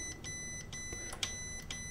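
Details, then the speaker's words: Microsoft Xbox that powers off and on by itself, power button tested on the multimeter continuity setting at its connector: clean, steady high beep with no scratchiness while pressed and wiggled, reading 2.5 ohms; button healthy. "And I'm not picking up any scratchiness from it, which would be an indicator there's something wrong with the button."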